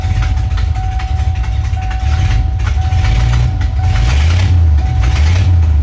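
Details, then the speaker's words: Ford Ranger with a swapped 5.0 V8, just fired up and idling lumpy with a sharp puffing tick on each pulse. A bad exhaust leak, possibly a gasket. "I'll go ahead and fire it up actually. And then you can hear the horrible exhaust leak."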